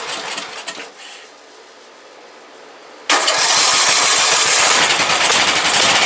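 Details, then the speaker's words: Briggs & Stratton 17.5 OHV single-cylinder lawnmower engine, muffler fitted, bottle-fed fuel, on a substitute carburetor; fires into a harsh busy roar that never settles smoothly; carburetor judged junk, other carburetor to be refitted. "That carburetor's junk. Let's put the other one back on it and see what it does."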